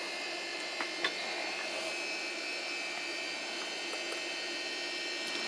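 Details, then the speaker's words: Switching power supply, 12.5 V output, started as the second supply for a 400W/100A linear-MOSFET electronic load test, before the load is connected. Constant airy fan whoosh, mostly hiss, steady; a bit noisy but a normally running cooling fan. "okay so now I hooked out this uh the second power supply and let me first just start it up it's a little bit noisy and let's see what the output voltage is"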